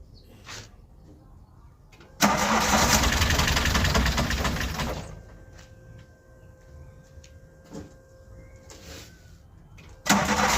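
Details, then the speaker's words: Freshly rebuilt VW Golf Mk1 engine, first start after correcting a part reinstalled wrongly (no spark before): cranks, catches at once, runs roughly about three seconds then dies; starts but won't keep running; some wires found disconnected, cause still unclear. "So every time when I start the car starts first time, but it shut itself off."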